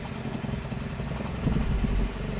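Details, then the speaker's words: 2025 Kia Soul, 12,985 miles, idled non-stop for a year, likely run low on oil, heavy sludge: just after start-up busy, uneven clatter over rough idle with smoke from tailpipe; engine knock and clatter from internal wear. "I mean, it is just clattery, chattery."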